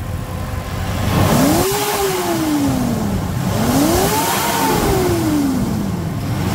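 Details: Mitsubishi Pajero Dakar V6 flex-fuel revved after a post-purchase service with timing belt replacement and cleaned TBI: two smooth rev blips rising and falling cleanly without rattles or misses; healthy, even revving.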